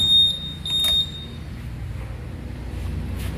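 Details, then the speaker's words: Honda Vario 150 keyless scooter, dead electrics: at key-on two short high beeps from the keyless unit, then only a low hum; fuses checked fine, no current flows. "Oke, kunci kontak on. Yang setelah kunci kontak, nah ini tidak ada apinya ya. Apinya ini tidak mengalir strom ya atau arus."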